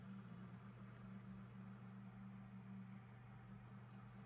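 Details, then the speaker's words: PC case fan after lubricating its bearing without disassembly, previously making extraneous rustling and rattling noises: soft, steady low hum, quiet and normal with no rustling or rattling. "и запускаем компьютер и наслаждаемся тишиной и спокойствием"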